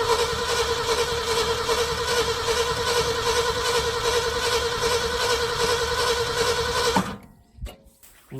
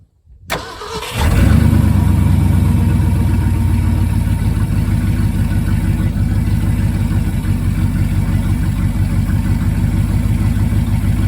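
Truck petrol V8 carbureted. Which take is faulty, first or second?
first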